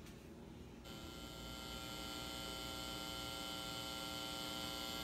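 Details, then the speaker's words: Marshall JCM800 Lead Series amp after power supply repair: steady buzzing mains hum and hiss from the floating, unterminated input. "we're gonna have a lot of noise this is floating right"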